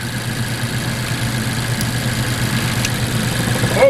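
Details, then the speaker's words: 2014 Mazda CX-5 2.0L, about 140,000 miles, rough running after startup, no check engine light or codes: uneven stumbling idle, dead miss; swapping plugs moved the misfire to cylinder three, confirming a bad spark plug. "right so that time it got worse that tells me that number two is not misfiring and number three does not change so guess what silver misfire moves it to number three and that means we got a bad sparkplug"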